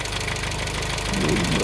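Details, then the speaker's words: 1987 Dacia 1310 (Renault 12) at idle, knock persisting after crank bearing change: a fast, regular light knock; mechanics suggested the cylinder 1 in-block tappet, and later possibly piston skirt, unconfirmed. "niște mecanici cu experiență mi au spus că ar putea fi tachetul în bloc la cilindrul 1"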